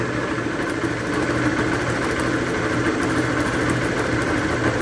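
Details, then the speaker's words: Motorcycle idling with coarse gritty rumble and loose clatter from a failed clutch bearing; oscillation felt at the clutch cable lever, also when shifting gears; engine to be rebuilt. "essa moto aqui ó ela tá com barulho no rolamento de embreagem estourou como que faz para saber sem abrir o motor galera é muito fácil"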